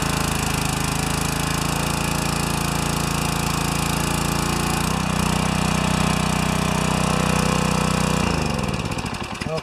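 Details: Pressure washer with 4 HP engine and new vertical-shaft pump, after adjusting the pump collar a turn with an Allen key; steady, even drone at constant speed with no knocks or misses before cutting off; normal running.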